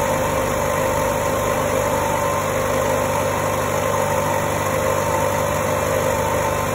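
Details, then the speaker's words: 2008 Chevy Aveo after throttle body and throttle actuator replacement: fast, steady, smooth idle first at about 1500 rpm, dropping toward 1000 rpm as it relearns; no error codes. "finally was idling at 1500 rpms this is my fancy dancy stand it already sounds like it's dropped down"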